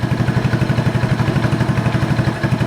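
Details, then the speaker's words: 1986 Honda TRX 125, adjusting mixture screw (bottomed out, opened in half turns): idle pulsing about five times a second, slightly uneven, a little worse; about half a turn out seems right. "Okay, it's a little bit worse there. Seems like a half a turn is about right on that."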